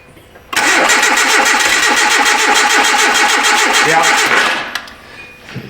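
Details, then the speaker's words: 2010 Hyundai Accent, no-start again after starter and front O2 sensor replacement; no codes, no control signal seen to the coil. Steady cranking about two turns a second for four seconds, a brief cough, then dies without catching. "I don't I don't like how it coughs there."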